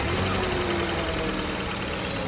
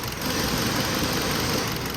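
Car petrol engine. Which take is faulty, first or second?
second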